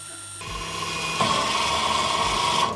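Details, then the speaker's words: Electric parking brake motor on a 2017 Opel Astra K rear caliper, powered directly by a 12 V battery: steady high-pitched whine for about two seconds, steps up partway, then cuts off as the piston fully retracts for pad and disc change. "Maintenant, nous devons alimenter le système pour que le piston rentre et que nous puissions le pousser. 12 volts ici. J'ai une batterie Milwaukee de 12 volts ici."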